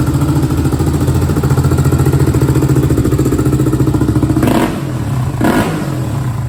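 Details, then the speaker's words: 2001 Honda TRX400EX ATV, customer reported a bog between idle and mid range: after chain and sprocket work, steady single-cylinder thump at idle, about three to four beats a second, then two clean quick throttle blips; runs smooth and healthy. "got a nice item definitely got that v-touch"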